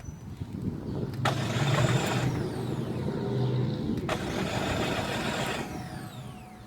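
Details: 2006 Chevy Cobalt 2.2-liter: starter cranks the engine steadily at three to four beats a second for seconds on end but it never fires; interior lights and radio work, cause unknown; crank, no start.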